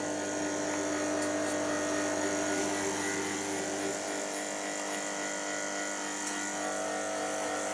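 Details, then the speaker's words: Washing machine drain pump under bench test, pump's cooling fan squealing slightly: thin steady high-pitched squeal over soft motor hum, constant pitch while running. "Fans on the pump squealing a little bit there."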